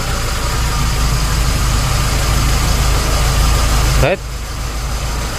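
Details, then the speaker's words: Proton 4G13/4G15 petrol engine idling after the distributor was reinstalled to the correct firing order, with ignition timing adjustable by turning the distributor: even, steady idle pulsing about four times a second, no misses, shaking or exhaust popping; healthy idle. "Dia tidak engine bergegar, tiada bilang susah start, tiada bilang exhaust pandai meletup-letup. Oke, tapi dia steady bak."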